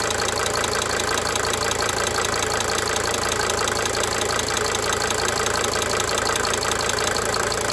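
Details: 1992 Mercedes-Benz 300D 2.5 turbo diesel idling steadily with a crisp, regular tick about three per second fading in and out; injector ticking.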